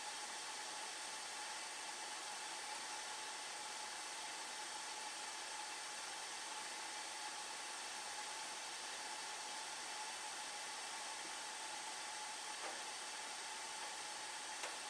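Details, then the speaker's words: 1990 Heil gas furnace at startup: steady hiss with a faint tone, then sharp clicks; suspected failing control valve causing a safety trip, not confirmed. "should turn on now I hear it clicking now yep we'll watch it here for a while it may kick it off though"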